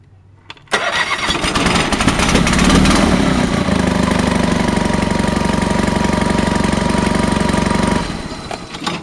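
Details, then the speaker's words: Honda fires right up first try after the fuel pump primes, then settles into a steady, even idle with no knocks or misses; runs fine, only needs paint and maybe a thermostat. "fires right up first try what makes this junk this is not junk"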